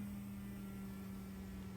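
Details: 1996 Chrysler Voyager 2.4 petrol, which was misfiring and not accelerating: the new fuel pump runs through its relay, tested with a makeshift gauge that reaches and holds 3.3 bar; a steady, even mid-pitched electric hum with no surging or whining, a healthy pump.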